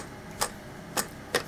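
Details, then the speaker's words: Prototype Bose car radio with DCC and MiniDisc player, disc inserted: three light clicks about half a second apart, no loading motor run, display reads no disc; loader fails to load, board near it quite burnt. "I don't know that's not working is it oh now we're stuck it says no disc I can see the disc"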